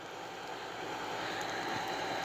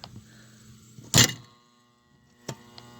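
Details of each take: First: Hardy H2 outdoor wood heater, new damper blower fan motor after the old one locked up: steady even mid-pitched whir, no grinding or rumble; new fan bearings quiet. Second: Hardy H2 damper fan blower motor calling for heat: loud clunk as electromagnet snaps damper lid open, then only steady electrical hum, blades not turning; bearing previously squealed dry; seized blower motor humming without turning.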